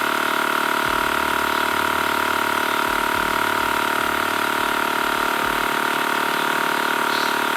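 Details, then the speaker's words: TACKLIFE M1 tire inflator on a car tire, targeting 35 psi: pump chatters about four beats a second under a constant hiss as the screw-on chuck leaks at the valve; the tire loses more air than is pumped in. "all right and already you guys can hear the hissing it is definitely letting air out"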